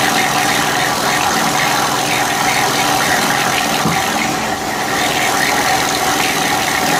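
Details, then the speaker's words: Honda EU3000is generator, partly disassembled, reassembled with old gaskets, started on choke: steady mid-pitch hum with rough mechanical rustle; owner thinks some noise comes from the crankcase, unsure if normal. "some of that noise actually coming from the crank case i don't know if that's normal or what i don't have anything to compare it to"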